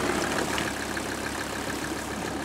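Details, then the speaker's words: 1985 Mercedes 300 turbo diesel wagon, after lift pump rebuild, idling about 30 minutes outdoors: warm, steady even tick-over, no stumble or knock, hardly any smoke; normal idle. "And the other thing is, there's hardly any smoke."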